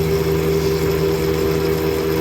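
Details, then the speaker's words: CNC mill with a Big Daishowa spindle speed increaser, cutting hardened 1095 steel with a 1/4 in end mill at about 25-30 in/min. Speed was reduced from full because of chatter. A steady even cutting tone and spindle hum with no chatter. Normal cut, much faster than at 1500 RPM. "way faster than I would have been able to do at 1500 RPMs I bet it'll do a lot better in like aluminum cuz this is kind of hard still with a 4/4 in endmill"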